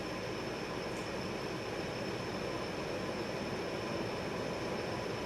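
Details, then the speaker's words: Refinished Tyeb 52" variable-speed reversible ceiling fan, salvaged from a flea market with replaced blades and brackets, running on high at about 240 rpm: steady, even airy rush with a faint constant high tone and no ticks or wobble. Normal smooth running. "high is going to run about 240 rpm and that's just uh that's almost unbelievable for a residential fan it blows quite a bit of air"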